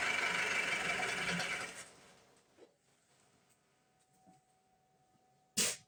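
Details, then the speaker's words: 2007 Ford Transit Mk7 2.2 TDCi, just after new injectors were installed and the lines bled. The engine runs rough and uneven for under two seconds, then dies: it still stalls right after starting, cause unconfirmed. "So let's try to start. The problem is still there."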